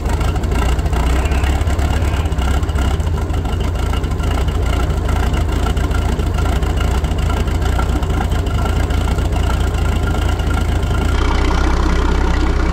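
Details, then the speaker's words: Vintage Caravelle boat's inboard inline-six, sitting since the 90s, first run after hot-wiring the coil (ignition was losing 12 V once the starter cut out): steady, smooth low rumble, even firing, no knocks or misses; normal idle. "boy does that sound good man this is going to be a fun boat probably a rip or two with this inline six you know that is so smooth compared to a four banger"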